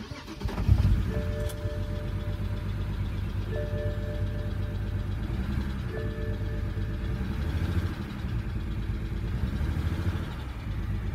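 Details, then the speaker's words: BMW 135i E82 N54 at idle after engine rebuild, P0306 code: uneven stumbling beat under low drone with lumpy dips, like one cylinder dropping out; owner suspects a misfire on cylinder 6, possibly an old part, not confirmed. "s seems like that might be a misfire on cylinder 6 raising the codes"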